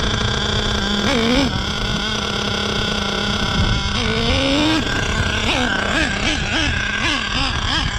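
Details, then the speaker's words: Savage X46 nitro RC truck, three-speed transmission just rebuilt with all-metal gears; repeated rev surges with pitch climbing and no drop, no audible first-to-second shift though one-way seems to work; owner may disassemble transmission to check. "i'm not getting first into second i don't know what's going on i may have to disassemble the transmission"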